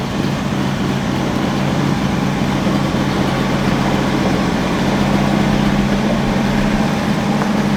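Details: 1963 Chevy Biscayne V8 idling just after its replacement engine was installed, hood closed, oil light on at start; steady low even beat with a faint slight rattle, running healthy. Normal idle.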